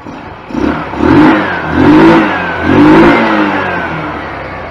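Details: 2004 Wildfire 150T GY6 150cc Chinese scooter after a valve adjustment, idling around 900: three quick throttle blips rise and fall cleanly, then it settles back to idle with no valve tick heard; sounds healthy.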